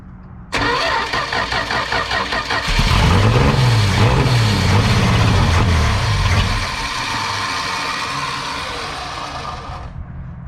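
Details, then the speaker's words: 1971 Dodge Dart sitting for years, fresh battery, fuel line disconnected, after a poor wiring connection was fixed: starter churns briefly, engine catches, revs up, then settles into a steady, even idle with no knocks; normal start. "literally that's all it was fired right up"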